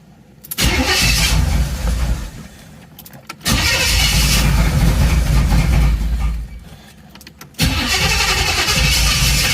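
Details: Third-gen Camaro V8 (about 35-36-year-old part just replaced): repeated cranking and short runs that surge and die unevenly, never settling to steady idle; rough running, owner suspects vacuum leaks triggering code 33 for the mass airflow sensor, unconfirmed.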